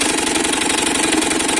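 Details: Italika DM200 motorcycle engine idling with a harsh, rapid metallic clatter; the crankshaft bearing feels rough and the camshaft has scoring, so both are being replaced.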